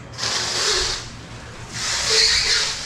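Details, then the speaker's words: Permobil C300 power wheelchair with a 120 amp controller and new Michelin S83 moped tires at 40 PSI: two high, scratchy squeals over a faint motor hum as it moves off and turns; the new tires squeak on the floor. "yeah definitely squeaks forgot how dangerous this chair is"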